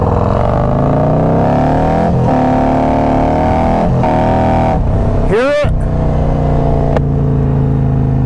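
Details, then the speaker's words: 2022 Harley-Davidson Road Glide ridden under throttle: revs shoot up but the bike barely moves. Clutch slipping, before the new clutch is installed. "probably heard that when I get on it you hear like the RPMs shoot up but the bike's nearly not moving that's why I was telling you guys in the past video about the clutch actually slipping hear it yep it's slipping"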